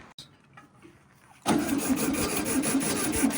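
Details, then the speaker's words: 1968 VW Baja Bug flat-four, barn-stored for decades, first-start attempt with low vacuum: starter cranks at an even rhythm but it never fires; no spark at the points, which get re-cleaned. Crank, no start. "I think we lost spark. Yeah, that's what it sounds like."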